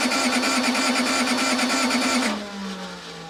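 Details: Case 1835C skid steer diesel with broken piston rings, glow plugs on 12 V cycled 20-30 seconds, starter on 24 V. Starter whines with even compression beats about three a second, never catches, spins down; cranks but won't start.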